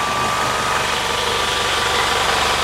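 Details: QUPB GT Max 800 W 220 V fan-cooled electric PCP compressor (max 310 bar) filling a 3 L scuba tank toward a 2500 setting: constant buzzing drone, faint steady whine and fan hiss, no knocking or labouring; normal running.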